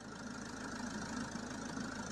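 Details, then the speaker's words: Citroen Jumper campervan, 3.0L Iveco diesel, idling while the AC is refilled: steady idle with even high-speed cooling fan rush and no knocks; vent temperature dropping to 13–15 degrees, system pressurised, running normally. "But yeah, we immediately noticed a temperature drop. I could also hear the high-speed fan kicking in. So this means that the gas is getting hot and it needs cooling."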